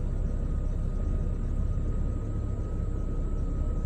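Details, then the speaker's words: Ford Transit Mk7 3.2 TDCi diesel just after an oil and filter change, cranked first to prime the oil, with the oil light now out. It idles with a steady, even low rumble and no knocks or misses while the oil circulates. Idle is normal. "But the oil light's gone out, which is a good sign. Just let it circulate for a minute."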